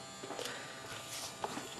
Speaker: Now you can hear the buzzing. And it wasn't that bad before, I could swear. Hopefully it'll kind of warm up and go away. I really dislike that buzzing.